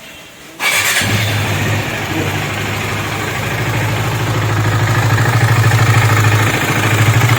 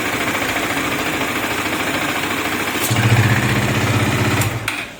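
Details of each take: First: KTM Duke 250 engine noise: starts, then loud tinny clatter over idle about three beats a second; worn timing chain, tensioner and valve train, tappets and timing to be checked. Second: KTM Duke 250 after rebuild with new oil, oil filter, rocker, timing chain and camshaft: even, steady single-cylinder idle that deepens when the exhaust is blocked by hand, no ticking or rattle; runs healthy.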